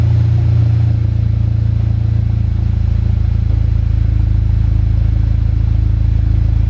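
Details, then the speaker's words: VW Golf GTI just fitted with a hybrid IS38 turbo and full exhaust, turbo primed before first start: steady, deep, even idle with no ticking, knocking or misses; no oil or coolant leaks, runs normally. "right looking good i can't see any corner leaks seems to be running absolutely fine as well so that is good no oil leaks either"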